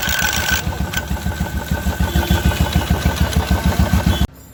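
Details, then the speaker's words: 2016 Royal Enfield Electra 350 single-cylinder idling about 200 beats a minute with clutch cover opened, loose clattery rattle on each beat until shutoff; clutch-side bearing worn out and can't simply be replaced. "इसका bearing खराब हो चुका है है और अब हम इसमें नया बैरिंग नहीं डाल सकते"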